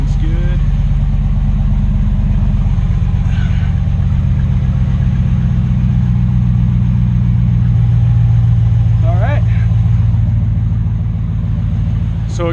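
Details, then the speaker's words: 2009-2015 Ram truck V8 with factory dual exhaust, after bolt-on Carven muffler replacement: deep even burble swelling slightly with a light rev then settling, no puffing or ticking; exhaust sealed. "again, that's the install for the Carven 2009 to 2016 Ram kit for the dual exhaust factory option. That's it. Sounds pretty good."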